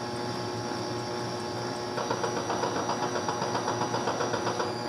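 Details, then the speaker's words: Bally Embryon pinball machine stored 30 years, with the speakers disconnected: steady electrical hum with a faint pulsing buzz from the squawk-and-talk sound board amplifier, hum changing with the knob; the old capacitors are expected to cause it, and replacing them should reduce it. "because when I turn the knob you can hear that home that hum should go away when I replace these capacitors maybe or at least it should minimize it"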